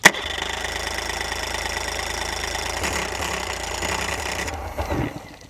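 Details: Dead outboard on muffs, before adjustment; ragged, uneven firing that stumbles then fades out; rough running, nearly starting, cause unconfirmed.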